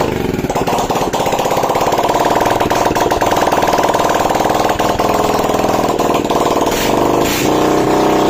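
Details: Bajaj CT single-cylinder motorcycle after an engine noise repair (piston and rings, timing and carburettor set): ticks over at a steady, even beat with no knock or rattle; a healthy idle.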